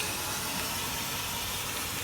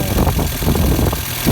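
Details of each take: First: 1986 Volkswagen Cabriolet project car running after revival: constant loud steam hiss, smells like antifreeze; owner suspects he might have just blown a coolant hose. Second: 1986 Volkswagen Cabriolet project car idling in neutral on a very windy day, waiting for the cooling fan to kick in: low steady idle, no knocks or misses; normal idle.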